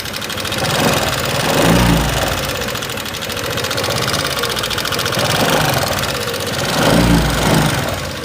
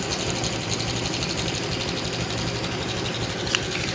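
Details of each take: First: 2018 Honda Vario 125 scooter idling with fast light metallic ticking from loose (excessive) valve clearance. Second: 2018 Honda Vario 125 scooter after valve clearance adjustment, idling: even low hum with fine mechanical chatter, earlier rough ticking gone, so the fault was only valve adjustment.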